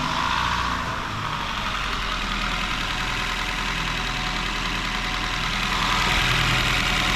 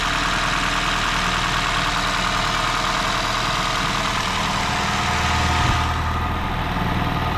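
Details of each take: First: Warm idle of a 2017 Honda Shuttle hybrid whose owner complains of valve rattle when cold: smooth, quiet, even soft hum with no valvetrain ticking or tapping. Sounds normal hot; a cold check is still needed. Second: 2017 Honda Shuttle hybrid, 122,000 km, owner complains of valves clattering when cold: steady idle with a light quick ticking from one cylinder on one side of the head; valve clearance adjustment planned.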